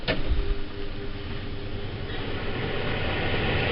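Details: Robinson CR9SS range hood fan test run after cleaning grease from the fan shroud with turpentine; steady, even rush builds smoothly with no ticking or scraping. Previous twig-in-fan noise is gone, with slight performance gain; filters still not fully clean.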